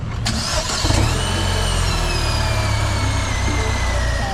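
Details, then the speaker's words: 1998 GMC Suburban 1500 4WD, 244,259.7 miles, towed in with a no-start and grinding complaint and suspected oil in the coolant; on restart a thin high whine drifts in pitch over the idle, source not pinned down. "you hear that winding sound and i think this car speaks in anime when you turn it on"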